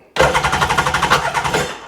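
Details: RXDI engine after finding its injector and regulator packed with rust, fitting a new fuel rail and priming it to pressure: the starter cranks in fast, even pulses, about nine a second, for under two seconds without catching; cranks but doesn't start.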